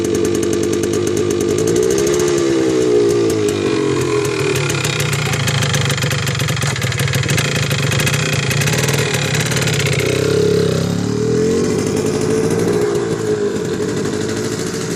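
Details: 1979 Yamaha DT250 Enduro two-stroke running raggedly with a rattly, uneven beat as revs rise and fall; owner suspects a knock. It loses power at about 30 mph in all gears and dies, despite a new plug, cleaned air filter and checked fuel filter.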